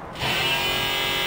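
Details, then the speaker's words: VEVOR 48V 2000W brushless DC motor on its motor controller during a bench wiring test, Hall sensor plugged in; after a short start a steady, even high-pitched whir holds smooth with no knocks, running normally. "can hear the motor running. Now, you can't see it because it's not in frame, but I will change the camera angle so you guys can see the motor running."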